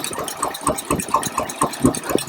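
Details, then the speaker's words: 1953 Packard Clipper Deluxe engine at warm idle after valve adjustment; only one valve was tight, about 8,000 miles after the last adjustment. Soft, evenly spaced pulses about four a second, with almost no valve noise: a quiet, healthy valvetrain. "And as you can hear, it's really almost no valve noise when they're adjusted properly."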